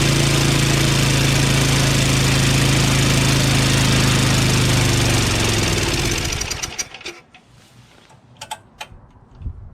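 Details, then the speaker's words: Craftsman 5.5 HP 24-inch two-stage snowblower, electric start, primed, on choke, high throttle: runs rough and hammering then loses power and dies; easy pull, owner suspects low compression from sticky valves. "but i have a feeling it doesn't have any compression it's what i'm feeling you know it's very easy to pull and uh it just doesn't seem like it has much power at all"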